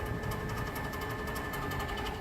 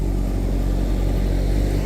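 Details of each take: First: A different, unrepaired HVAC unit at an old schoolhouse, the one making all the noise. Steady hum with a faint high whine and rapid light rhythmic ticking; the cause is not confirmed: noisy condenser fan. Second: Old schoolhouse HVAC unit after resetting a VFD that had tripped on voltage and stopped both condenser fan motors, causing high-pressure switch trips. Even, continuous low rumble with no rubbing, squeal or surging: normal condenser fan operation after the repair.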